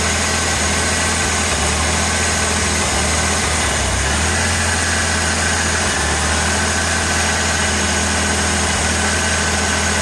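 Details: 1986 Ford Ranger 2.3L with ongoing misfire complaints despite many replaced parts: steady low idle with uneven dips and stumbles every few seconds; rough idle, owner unsure if it is misfiring, cause not found.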